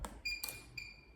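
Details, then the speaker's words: Ford Fiesta starter relay test with a circuit tester: a few crisp clicks within about a second as the relay pulls in, with 12 V output on the switch side, confirming the relay works properly. "I hear the clicking sound. And as you see the voltage output from the relay was 12. So this confirms that relay is working properly with no issues."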